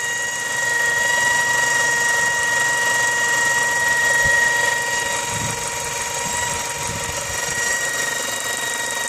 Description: Mazda 6 2004 wining noise please help.